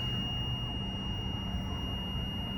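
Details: Country Coach motorhome with a Detroit Diesel 6V92, driving on the freeway: a steady high buzzer drones over diesel road rumble for about 20 miles while temperature gauges read normal; false overheat alarm, cause not confirmed.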